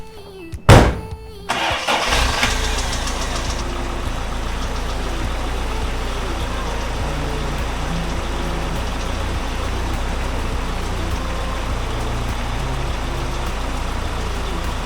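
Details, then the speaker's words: 36-year-old Toyota Celica after a power steering bleed, on the ground, steering turned lock to lock: the engine cranks and settles to a steady idle with no loud squeal, only a faint pump hum; much quieter than before. "say that's a pretty good success it's much much quieter than it was before"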